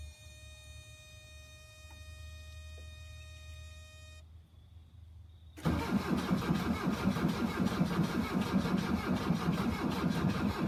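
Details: 1982 VW Vanagon Westfalia after a new battery, glow plugs and starters: electronic tones fade, then the starter drags the engine over slowly under three beats a second without catching; battery suspected still weak, to be jump-started.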